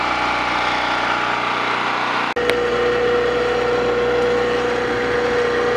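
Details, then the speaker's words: Small generator running at a steady fast hum with faint whine, only staying running with the choke set halfway, as further choke kills it; surging tested under drill press load; runs only on half choke, cause unconfirmed. "gotta get the choke right in the middle you go too far over it'll pull it'll choke it and die out"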